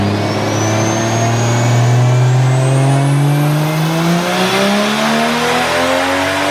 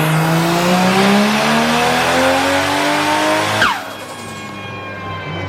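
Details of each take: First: Toyota Chaser, stock-bottom VVTi 1JZ, Garrett G25-660 turbo, 1200cc injectors, DW400 pump, V160, on dyno tune near 400: hard boosted pull stumbles and cuts out mid-pull; fuel pressure loss, pump wire popped out from install error. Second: Toyota JZX chassis with stock-bottom-end VVTi 1JZ, Garrett G25-660 turbo, 1200cc injectors, E85, V160 gearbox, on dyno after plugs gapped down: engine pitch climbs smoothly to the top without stumble, then drops on lift-off; clean full-throttle pull.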